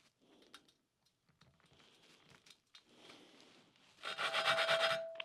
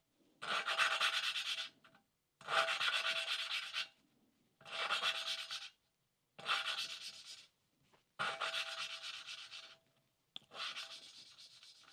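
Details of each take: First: 1988 Suzuki GSX-R1100 cylinder head valve being lapped with compound and oil: gritty back-and-forth grinding, about three strokes a second, seat not yet mated, should smooth out as it seats. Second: 1988 Suzuki GSX-R1100 valve lapping, recorded on a separate microphone, with the valve and guide oiled: six even, soft rubbing strokes with no gritty catch; the grinding has smoothed out and gone quiet, so the valve is seated.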